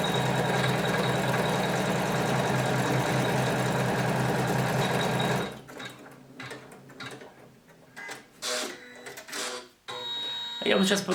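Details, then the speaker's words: Janome 500E embroidery machine after repairing the customer's loud knocking/rattle during operation: smooth, even whirring with a fine, steady stitching rhythm and no knocking before it stops. Running healthy. "Ну вот, звук сейчас хороший."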